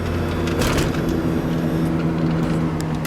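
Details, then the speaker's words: 1990 Range Rover County, 3.9L V8, test drive slowing uphill: a low hum comes and goes under road and engine noise, attributed to the brakes but source unconfirmed; humming while driving. "can hear a humming from the brakes there every once in a while wow that made me slow down even more"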